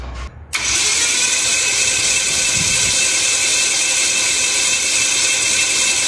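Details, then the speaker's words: Aircraft engine, plugs out and mags off, first crank in four months with the new prop: click, then a steady, even starter whir at constant speed with no grinding, reaching 30 PSI oil pressure; starter getting warm. Normal starter cranking. "all right that was a success got up to 30 PSI of oil pressure that's uh about as long as I want to run the starter it's uh it's getting a little bit warm"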